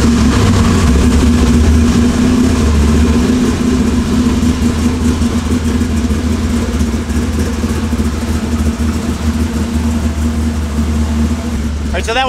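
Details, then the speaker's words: 1969 Camaro with an LS3 on Holley EFI, cold start idle before tuning: deep rumble wavers and sags slightly, lean at about 16.5 AFR at first, then stabilizing near 14 in closed loop; closed loop to be turned off. "that was a cold start right now it is idling right now um I did already see some very lean material on the very on the very first it's like 16-5 AFR"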